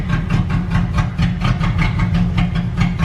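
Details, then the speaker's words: 1998 Jeep Grand Cherokee with blown head gasket during Blue Devil sealer treatment: lumpy idle with heavy chuffs about four a second, loudness surging and sagging as if misfiring; engine stalls shortly after. "it survives oh it's not sounding good man it's not sounding good it's gonna die it's done man"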